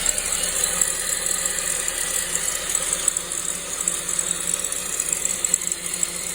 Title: SAAB 9-5 B205E rattling noise from belt/timing chain area